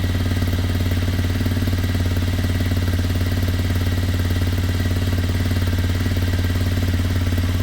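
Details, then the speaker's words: Kymco Zing 125 scooter running rough at low idle, uneven pulsing beat about three times a second, possibly lean; ran much happier with a hand over the air intake; running issues later sorted. "I don't know, it's unlikely to be fixed, but you never know. When I put my hand on the airflow, it was much happier, wasn't it?"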